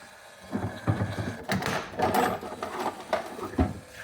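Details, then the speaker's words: Sega Jurassic Park pinball, snagger test in the service menu: irregular mechanical whirring and scattered clunks as the mechanism cycles, but the ball is not picked up; after a broken belt was reassembled by the owner, a part is possibly missing, unconfirmed. "So it's stuck to that, and now it's just, that should be picked up. It's not."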